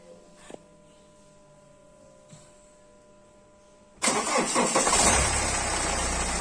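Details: BMW 3 Series cold start after sitting unstarted a long time during lockdown: quiet, then it cranks and catches into a rough cold idle with a steady knock two or three times a second; engine knock on cold start.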